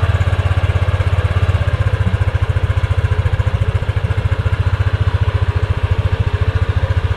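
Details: Yamaha Aerox scooter idling after the license-plate rattle was fixed by adding brackets to widen the gap: steady, even thump at two to three beats a second with no buzz or rattle; healthy.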